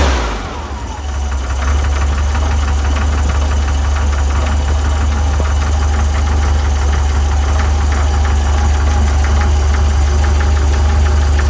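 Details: VW 1641cc flat-four, about 15,000 miles, standard crank and cam, twin DRLA carbs, idling cold with a steady knock about three times a second; cause was play in the aftermarket crankshaft pulley.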